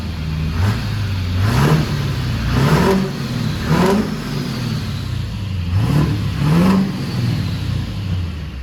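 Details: Duramax diesel pickup with full top-end build, heads done, 9-blade turbo: smooth, even note climbing and falling through several clean blips with no knock or miss; runs healthy.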